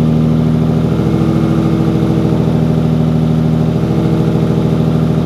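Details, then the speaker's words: Nissan Skyline R33 engine after replacing incorrectly sized connecting rod bearings (machine shop error; mains 0.25 were fine): smooth, even idle with no knocking or ticking; the earlier bottom-end noise is gone. "i'm super pumped there's no noise now and it all went away which is awesome it should have right because incorrect bearings were in there"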